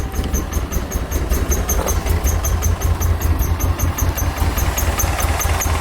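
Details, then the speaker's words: Nissan 240SX S13 just after a part replacement, freshly started: lumpy, uneven idle with irregular low thumps and loping beat, seems to run on two cylinders; misfire, spark plugs about to be replaced, cause not pinned down. "Spoke way too soon. Seems like it's running on 2 cylinders. I gotta cut it off. I don't know what the hell that is."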